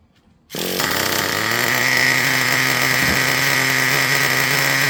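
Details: Traxxas Revo 3.3 nitro engine: sharp buzzing two-stroke note at lower idle rpm, quick throttle response without cutting out, holds an even pitch without stumbling; normal, well-tuned running.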